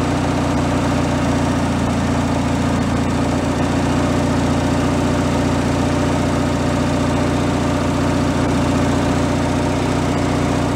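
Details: Free derelict Craftsman riding mower engine, started by key on fresh fuel after repairs, warming up before an oil change: even, steady idle with a smooth low hum and regular beat, no misses or knocks; normal idle.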